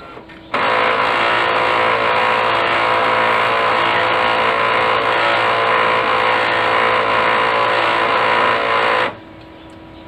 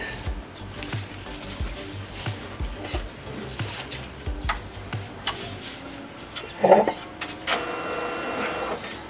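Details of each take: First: Brother DCP-L2540DW laser printer running with loud, rough grinding that starts and stops abruptly, from a worn fuser assembly, fixed by replacing the fuser unit. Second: Brother DCP-L2540DW laser printer, 277,000 pages, after replacing fuser assembly and a gear to cure grinding: steady soft mechanical thumps and light motor hum, running cleanly with no grinding.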